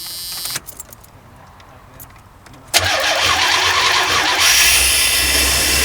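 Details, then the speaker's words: 22' Lazy Daze motorhome after exhaust leak fix with new muffler and tail pipe (old muffler blown out, exhaust misaligned): cranks, catches, smooth steady hum, no puffing or ticking; quiet, louder only with engine dog box open. "Oh my god. Pretty quiet. Awesome. Rev it? Okay. Yeah. Well, we have the dog box open. That's why it's a little louder. But if you come out, no noise!"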